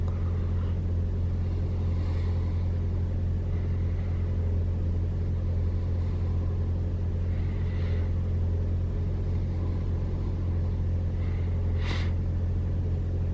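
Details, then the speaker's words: 2021 Toyota RAV4 Prime SE cold start in hybrid mode, about 49°F, climate auto with AC off: steady, even low hum with no whine or drone on top; no heat pump noise, engine healthy. "Okay, engine turned on. It's about 49 degrees out, so it's pretty cold. It looks like it's not making the sound at all."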